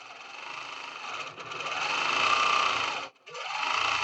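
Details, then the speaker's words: Longarm quilting machine, tension test stitching on a quilt top: fast, even needle chatter with steady hum, pausing and resuming, no popping; bobbin thread sits mid-quilt, so tension is balanced. "You don't hear anything, right? No popping. That means that my bobbin thread is somewhere underneath this quilt top and somewhere towards the middle."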